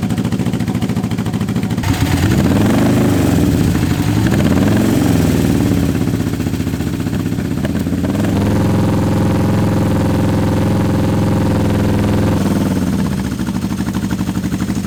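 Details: Honda CB750 K-series motorcycle, first start in years on unleaded petrol with some choke: lumpy, uneven, surging idle, apparently firing only on the two cylinders on one side; cause unconfirmed.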